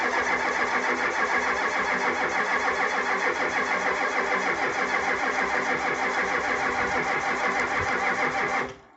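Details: 1985 Ford F250 6.9 IDI diesel, 4-speed manual, unstarted 4–5 days at down to −27°C, −17°C today, frosted engine: starter turns engine evenly about three compressions a second for nine seconds, never catches; no-start from gelled fuel, no anti-gel added.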